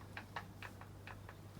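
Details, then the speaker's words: 2008 Vauxhall Vectra C SRI 1.8 petrol with the F17 gearbox removed and turned by hand; the box feels stiff with slight shaft play: faint irregular light ticks about four a second from the final drive, which doesn't sound good. "something doesn't sound good so i think what we'll do is we'll spin it over we'll get the inspection plate off and we'll have a look see if there's any obvious signs of uh gearbox failure"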